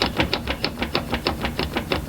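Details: Ford Bronco while driving, humming noise: sharp regular clacking about six or seven times a second over a low rumble, tracking shaft speed; rear driveshaft U-joint destroyed and CV joint bad, both replaced.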